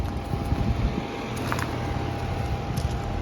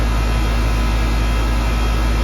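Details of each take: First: Central AC stopped blowing cold overnight: a steady low buzz with the fan running as the compressor strains but never starts. A bad capacitor is suspected and was later confirmed; the compressor fails to start. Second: Central AC after a bad capacitor was replaced: a steady low compressor hum under the even fan rush, with no buzzing, clicking or stalling; the compressor is running normally and cooling again.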